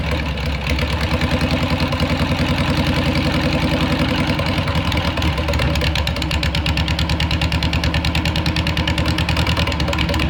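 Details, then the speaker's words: Air-cooled VW Beetle engine in its new home, after the fuel system was redone and timing adjusted slightly: catches after a short crank and settles into a quick, even putter at steady idle; running normally. "all right so we got it fired up um you're probably thinking wow that fired up really fast"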